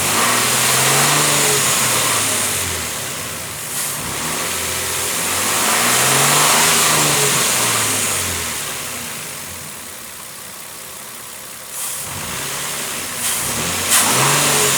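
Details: 2007 Nissan Frontier after dealer engine repair replacing the camshaft chain, tensioner face, O-ring seals and front crankshaft seal: the engine starts, idles evenly and revs cleanly. The earlier whining noise is gone.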